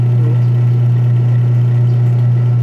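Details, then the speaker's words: Washing machine with the timer on: the wash motor hums constantly but the pulsator stays stopped, with no drive rhythm underneath. The motor pulley is slipping on the belt. "Umaandar yung motor. Pero nakahinto yung pulsator."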